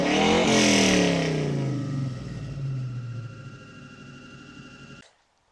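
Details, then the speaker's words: 1966 Mustang with swapped 4.6L Modular V8 and new 2.5-inch straight-pipe exhaust: fires, revs high then drops smoothly back to steady idle, clean even exhaust note throughout; engine sounds healthy. "eek but i am so happy with it it is sounding so good"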